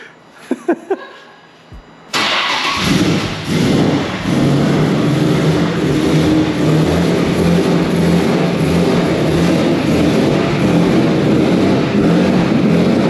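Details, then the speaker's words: Nissan S15 with VQ35HR swap and turbo kit on first start, using a different 2007 ECU: cranks, catches and holds a fast, slightly uneven high idle with no leaks heard. Owner suspects the injectors, tune, ECU throttle issue or fuel pump. "normally it's a little slower it's like this one's like fast so i think it's a pump too"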